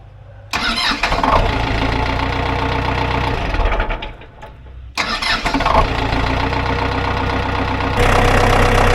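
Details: Ford 2120 diesel tractor that sat for years, throttle set back to idle after the rusted cables were cut: it catches after a short crank, stalls briefly, restarts and settles into a steady, even low idle; normal idle.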